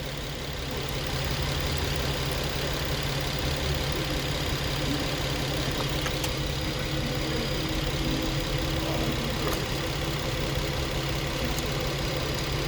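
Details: 2014 Infiniti Q50 with P0340 code, intake valve timing PID bank 1 reading -17, previously crank-no-start, camshaft sensor replaced: engine idles with an uneven, lumpy beat and no steady rhythm, pointing to incorrect cam timing.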